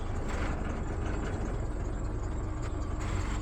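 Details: 2015 Isuzu D-Max 4JJ1 diesel, 314,000 on the clock, after replacing a main fuel filter clogged by old bad fuel. Steady, even diesel clatter at idle with no stumbles or misses; the engine runs smoothly.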